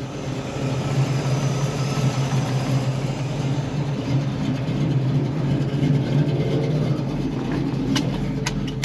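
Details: 1968 Camaro V8, engine and transmission under 10K miles, 44,135 miles on the odometer; steady, even low burble at idle with a few light clicks near the end, no misses or knocks, healthy.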